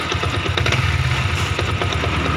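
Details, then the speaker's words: Yamaha Vixion New single-cylinder idling after piston replacement (Honda piston) and boring; uneven clunks and knocks that persist with the clutch pulled, so not the clutch rubbers; points to worn primary and balancer gears. "Oke, ketika kopling ditarik suaranya glek-gleknya itu masih ada ya."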